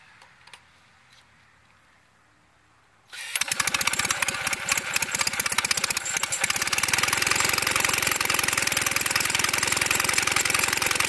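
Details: Standard Twin, first start in 40 years with a carburetor full of gas: quiet, then the engine catches at about three seconds and settles into a steady, even firing beat; it runs normally.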